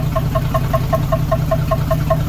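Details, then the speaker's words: 1976 AMC Gremlin, revived after 36 years in storage, warming up after disc brake work: rough rumbling idle with crisp even metallic tick about five per second, like metal hitting metal; owner unsure it is engine knock, cause unknown. "sounds like literally metal hitting metal like a knock but it doesn't sound like an engine knock to me maybe that is an engine on the pedal though I'm beyond confused I don't know"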